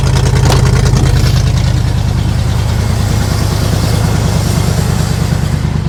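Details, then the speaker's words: 1976 Chevrolet K20 3/4-ton 4x4 truck, 350 V8 cold start after sitting, on new battery; very loud, raspy, uneven idle with open bark because the back of one muffler is blown out. "to mention to you guys just uh the back of one of the mufflers is blown out. I did see that. It's extremely loud."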